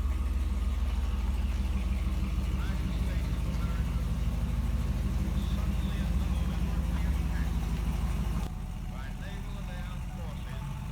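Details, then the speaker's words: Chevy Avalanche V8 idling after fixing a P0300 random misfire by swapping the cam sensor and relocating a valve-cover ground: steady, even low rumble with no skips or stumbles; code gone, normal smooth idle. "So, we now no longer have a P0300 misfire code, and it's not super obvious anyway that we have a misfire anymore because it's not misfiring on an entire bank."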